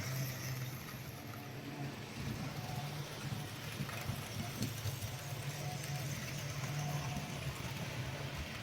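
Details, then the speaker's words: GEM kit NER R1 / LNER D21 4-4-0 OO gauge model locomotive running on track: steady buzzing hum with low drone and rattly running noise; noisy motor running. "Okay. As you can hear, it's quite noisy."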